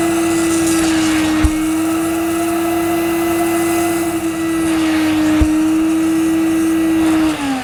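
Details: Mid-1990s (c.1994) Hoover Aquajet S4488 wet pickup on carpet: steady even motor hum at one pitch with light airy rush, no surging or grinding; running normally, owner suspects kinked or blocked solution tube limiting flow.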